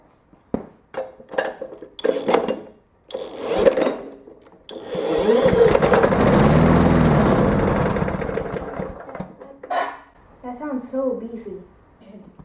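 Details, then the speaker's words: Small 6.5 hp mower engine, little oil, started briefly on ether before fuel rigged: fires after clatter, runs seconds with full even beat, no knocks, good compression, little vibration, then dies; normal running. "right well I'm very encouraged by that sound like it ran sound like it had good compression feels like it has good compression uh uh no bad sounds didn't vibrate excessively"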